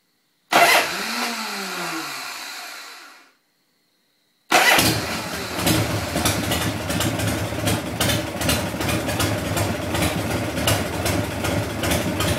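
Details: Harley Shovelhead V-twin: the starter grinds it over for a few seconds and it dies off, then it cranks again without catching. Engine cranks but will not start.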